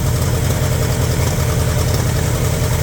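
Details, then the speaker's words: 1960 Pontiac Bonneville 389 V8, first running after sitting about ten years: a deep, uneven lumpy idle with dead cylinders on one bank slowly coming back, plus slight blowby. The misfire's cause is not yet confirmed. "The dead cylinders on that side. We're trying to come back around."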